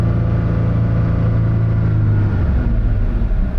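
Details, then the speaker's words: 2020 Toyota Tacoma TRD Off-Road with newly installed K&N NextGen cold air intake, revved in place to about 4,000 rpm then held around 3,000–3,500: smooth even deep drone and intake growl, no knocks or misses; normal high-rpm rev. "And yeah, once you get up, that was about 4,000 RPMs right there. That sounds really good."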